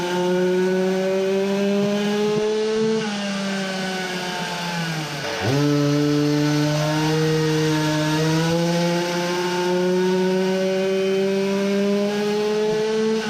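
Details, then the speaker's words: Samurai 40cc two-stroke on dyno with new lower-port cylinder and high-compression head, ignition advance changed at 11000rpm: pitch sags sharply mid-range then climbs to 13000rpm; owner suspects long exhaust, ignition timing or tight head, possible detonation. "so now it started to rev as i changed the advance earlier at 11000 but still does not look good it dips here and continues to rev"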